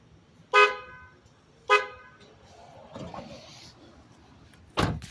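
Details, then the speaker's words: Replacement horn from a Ford F-150 fitted to a Honda Civic in place of the weak stock horn: two short loud clear blasts and a third later, strong steady tone; louder than stock, horn works properly. "it's louder instead of that whole meat meat thing that that the uh little honda civic horn makes uh obviously you can tell it's louder"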